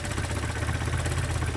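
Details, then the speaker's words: 1972 Datsun 510, carbureted L20B engine, with new alternator, during idle adjustment: steady, low, even idle rumble at about 470. "right now I'm just adjusting the idols through right now I'm at 470 and it's idling which is fantastic"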